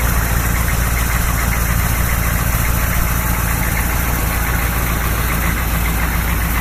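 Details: 1986 Chevrolet K30 M1008 military diesel truck on 37-inch tires, some engine rework done, true dual exhaust: steady diesel clatter at idle, roughly three and a half beats a second, even and settled; healthy idling diesel.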